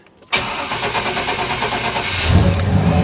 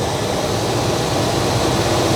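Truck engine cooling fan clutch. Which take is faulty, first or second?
first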